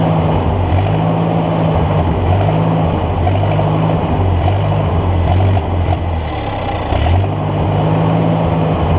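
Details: Ford NAA Golden Jubilee tractor (1953/1954) sat over 20 years, spark restored after bad battery connection fixed: uneven, surging low beat rising and sagging every couple of seconds, running only on hand-fed intake fuel; owner suspects clogged fuel line.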